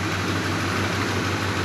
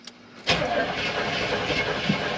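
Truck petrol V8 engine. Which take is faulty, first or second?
second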